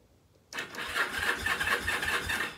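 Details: Free, long-neglected rusty Kawasaki KZ750: starter spins the engine at an even rhythmic chug for two seconds but it never fires; no spark at the ignition points.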